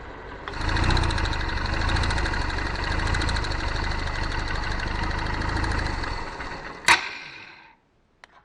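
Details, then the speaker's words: Honda CBF 125 single idling after timing chain and tensioner work, oil refilled, spark plug refitted; a light fast tick, three or four a second, persists over the putter, source not yet found. "and then put the spark plug back in and test it out. So let's see here now. Now, still ticking. Still ticking."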